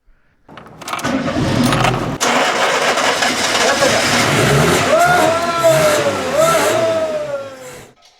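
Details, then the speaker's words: 1988 Yugo GVX abandoned about 15 years in the Arizona desert, after new fuel lines, a new fuel filter, a cleared clogged line and fuel poured into the carburetor: brief cranking, then it catches and revs cleanly; it started right up. "there you go guys you saw started right up"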